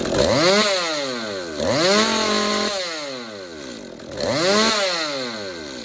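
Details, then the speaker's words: Stihl MS-192 top-handle chainsaw after cleaning an exhaust screen that was about 80% clogged. Before, it would not idle or rev. Now crisp rev bursts climb cleanly and drop back to a steady idle; normal idle and rev. "now just listen to how much different and how much better this thing runs"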